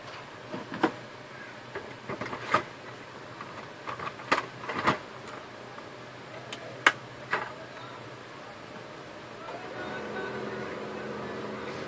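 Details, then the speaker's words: HP LaserJet 1010 after replacing the broken motor gear in the gearbox: a few clicks, then a smooth, steady hum with no grinding or gear noise; printer ready. "no noise this time. Printer is ready,"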